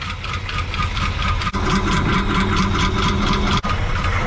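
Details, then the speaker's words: Pickup truck engine at rough low idle with quick, light lifter tapping about twice a second; oil isn't reaching the valve train, with top-end oil confirmed only on the passenger side. Valve train ticking, cause not confirmed. "You can hear the valve knocking. So you can hear how the lifters are tap, tap, tap, ta"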